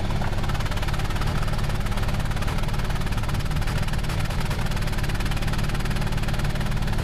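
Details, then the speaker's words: 2001 Hyundai Elantra four-cylinder, just started cold with a low fuel level: a low, lumpy idle with an uneven beat and irregular stumbles, a misfire. Coil, plug wires and a sensor had already been replaced; the cause proved to be worn spark plugs. "yeah it's definitely missing"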